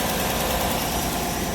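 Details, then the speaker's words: 2018 Chevy Silverado 5.3 V8 after repair: steady, even idle with no stumble, misfire fixed after dealing with a ripped part that had pulled loose; slight exhaust leak from a broken exhaust manifold bolt remains. "But yeah, that fixed the misfire."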